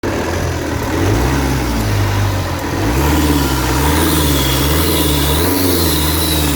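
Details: Opel 1.9 CDTI diesel accelerating: a thin hiss rises over the engine drone and follows the throttle, indicating an air leak in the intake.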